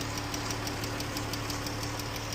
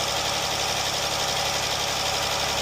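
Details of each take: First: Jeep engine idling: quick, even light ticking, about six per second, over steady idle, worsening over time; rocker arm and lifter problems, fix is replacing rocker arms and lifters; lifter and rocker arm tick. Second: Jeep engine after rocker arms and lifters replaced, check engine codes reset, fully warmed up: even, steady idle with no top-end tapping, just smooth hum; normal idle.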